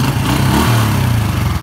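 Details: Honda Dream (Thai) motorcycle single-cylinder engine after full rebuild, test revving cleanly and evenly with no knock or tapping over the exhaust beat; engine sounds healthy.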